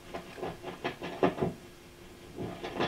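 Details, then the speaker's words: Original circa-1967 VOX AC10 guitar amp, vibrato amplitude control turned toward zero: irregular scratchy crackles and thumps; not a dirty pot, cleaned several times, caused by about 18 V DC on one side of the potentiometer. "cleaned the pot several times that's dc on the pot now if we measure on that pot we do actually have 18 volts dc on that side on one side of the pot"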